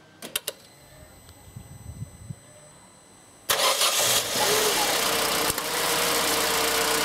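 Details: 2004 Opel Corsa C 1.2 Twinport Ecotec, first start after spark plug replacement; quiet clicks, then catches cleanly and settles into a steady, even idle with no misses.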